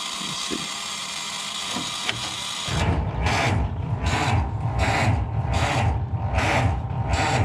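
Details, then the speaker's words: Ford Model T cold start on the electric starter with choke and throttle set: slow, uneven cranking about eighty beats a minute, no firing or catch; starter cranks slowly even with a charged battery. "see the starter it's always even with the charged battery it cranks pretty slow so you want to get as close as you can by hand first nothing"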